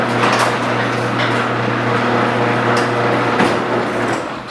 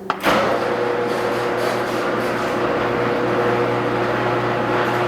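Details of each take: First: Garage door with old worn metal rollers before replacing all 12 with nylon rollers: steady opener motor hum under continuous rattling clatter as rollers chatter in the track. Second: Garage door after replacing all 12 old metal rollers with nylon Dura-Lift rollers: a steady low hum with smooth, even rolling and no clatter or squeal. The door now runs quietly.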